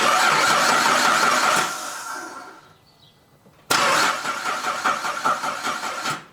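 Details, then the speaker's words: 2009 Cadillac CTS 3.6L V6, rear-wheel drive, crank no start: starter spins about two seconds without catching, then a second try fires and runs rough in limp mode; all four camshaft position sensors were faulty, two reading circuit high and two out of range. "The issue was the camshaft position sensors, all 4 of them."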